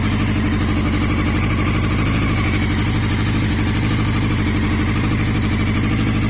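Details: 2002 Yamaha YZF-R6, 28,000 miles, unknown engine/ignition issue: idle stumbles with uneven, lumpy beat and occasional skipped pulses; misfire at idle.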